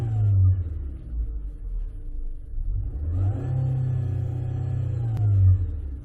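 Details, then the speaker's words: 2017 Nissan Altima CVT with primary pressure low (55 psi versus a 72 psi target): deep engine rumble with a thin whine climbing in pitch with the revs, from inside the bell housing. Likely pump or torque converter; transmission condemned as failed. "all right so that noise right there is coming from somewhere inside the bell housing either the pump or the torque converter itself"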